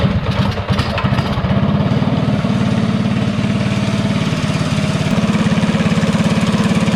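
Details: DuroMax 208 single-cylinder on Bonanza mini bike with newly installed, tuned Mikuni VM22 carburetor: steady fast idle around three beats per second, clean throttle pickup; running smoothly.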